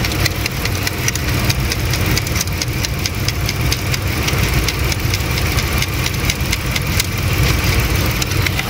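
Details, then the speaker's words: 2008 Lincoln MKX 3.5L AWD, 199,000 miles, check engine light, runs rough in the morning and getting worse: steady idle with a slightly lumpy, uneven beat under light ticking as one cylinder drops out; injector stuck, tapping on it didn't revive it. "Now we know without a doubt that we have a stuck injector. It's not going to become unstuck."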